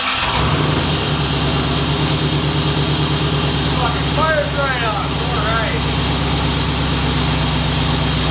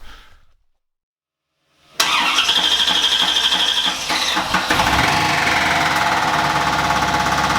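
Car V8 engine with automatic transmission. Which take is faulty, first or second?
second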